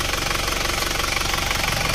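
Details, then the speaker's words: Isuzu Panther automatic diesel, after a ring and valve-seal rebuild, fully warm idle during a road test: even clatter with no misses or stumbles, and no exhaust smoke visible at idle. Healthy. "aman sehat walafiat nggak ada masalah"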